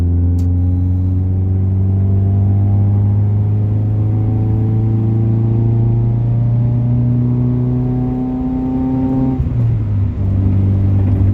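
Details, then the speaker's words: CD5 Honda Accord with a 2 3/8-inch cat-back exhaust and no muffler, full throttle in second gear into VTEC: deep drone climbing with revs, loudest on deceleration; loud drone from missing muffler. "So, like, there is no muffling to this system at all. I think the catalytic converter is literally doing everything."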